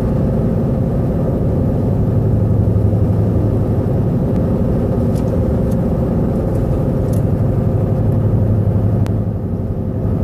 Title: Explain loud noise. And rpm bouncing